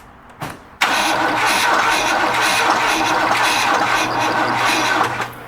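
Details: Starter spins the engine steadily for about four seconds with an even churning beat after battery jump and key cycling for fuel, smell of gas, but never fires: cranks but will not start.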